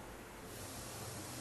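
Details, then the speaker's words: Steady, even hiss with no rhythm, heard during leak detection: air escaping past a leaking head gasket. "this one's got a leaky head gasket it's a good thing we found it now before something serious went wrong"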